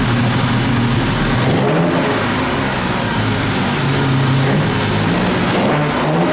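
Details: 1958 Jaguar XK150 roadster, restored, just after a cold start: the automatic choke holds a fast, slightly uneven idle that hangs high while the engine is cold; tuning is still to be done.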